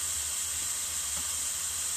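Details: Corona plasma reactor switched back on, ozone smell noted from ionisation: steady even high-pitched hiss with nothing underneath; normal corona discharge.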